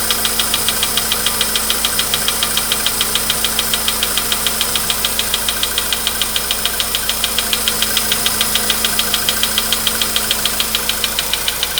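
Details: VW Polo Sedan, 99,329 km, cold start at 15°C shown; crisp even ticking three or four a second over smooth idle, anvil-like, worsening; fades away after 5–6 minutes running; internal engine knock, cause unknown.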